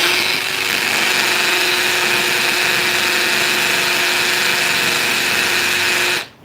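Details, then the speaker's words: Hammer drill drilling into hard masonry with light pressure: steady high motor whine over a fast buzzing rattle from the hammer action, progressing more slowly than in brick. "hear that vibration that's like a little uh it's like a little prisoner trying to break out of prison he's just hitting the hammer over and over"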